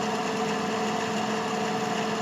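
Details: Desktop PC (AMD A8 CPU, 12 GB RAM, 256 GB SSD, Radeon GPU) just booted after power supply replacement for a no-power/flash-then-shutoff fault; cooling fan gives steady loud whirring hum with fixed tones and airy hiss, noisy, due for cleaning.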